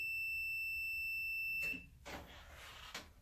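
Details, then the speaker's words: Multimeter on the continuity setting with its leads touched together before testing a dryer's thermal cutoff fuse (dryer not drying properly): a clean, steady high beep for about 1.5 seconds. The meter is working. "And then we're basically going to touch our leads. Make sure you hear that beep."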